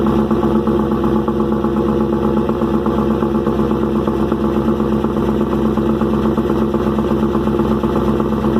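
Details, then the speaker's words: First cold start of rebuilt engine "Promise" after replacing fuel injectors and O-rings: clattery idle with fast light ticking from the top end, smoking and a loud exhaust. New lifter package is louder, but this seems excessive. "well it cranked right up motor is a little noisy i'm not sure what that's about"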